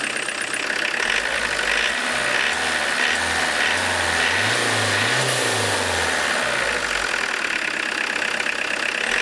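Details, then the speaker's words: Diesel engine with a Lucas DPC injection pump, timing set near TDC and slightly retarded, in a closed garage: steady idle with an even, slightly hard but tolerable clatter, minimal smoke, no misfire; normal diesel idle. "Дымность минимальная, жестковато, но терпимо, работает он."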